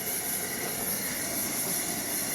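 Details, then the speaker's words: Pressurized Coleman white gas two-burner camp stove, one burner at full blast and the second, which relies on the first, simmering. A steady, unbroken rushing hiss with no sputter or popping. Normal burner operation. "So right now I'm full blast on one side, simmering on the other."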